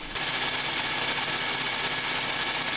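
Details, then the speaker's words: 2010 Mazda 3 2.0 L: steady, continuous high-pitched hissing squeal over the engine from worn, stretched accessory belts, calling for replacement of the AC stretch belt and serpentine belt. "your Mazda three sounds like this you probably need to replace your stretch belt and your serpentine belt"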